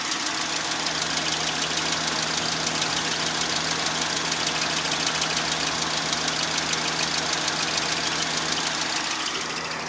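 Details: VAZ 2110 16-valve engine running steadily with a regular sharp knock about three per second over a hissy background; engine knock, cause unclear.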